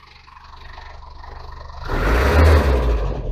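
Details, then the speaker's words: Land Rover Series 2 after fanbelt replacement: quiet, even tick-over, then a clean, quick climb in revs without stumbling or hesitation; engine revving freely and sounding healthy. "oh wow she's actually revving freely I might take her out for a run in a minute give her little test run I think"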